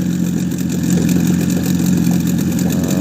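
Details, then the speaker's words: Boat outboard motor at idle after sealing the fuel filter against a suspected air leak and resetting the carburetor (mixture screw two turns out, idle throttle set), warm, about +5°C; steady even low hum, no sneezing or misses, normal idle. Owner still suspects the fuel pump because fuel drains back from the primer bulb. "начнем с выкруты два оборота смесь и с минималок дросселя всё вроде настроил на горячую не чихает"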